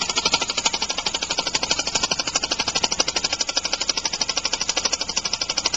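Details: Homemade compressed-air engine (aluminum valve shaft/crankshaft in a steel bore, sloppier after about 15 minutes' running), started just past top dead center: fast, sharp air chuffs about ten a second, slightly uneven beat, light knock; rough running from timing and flywheel imbalance.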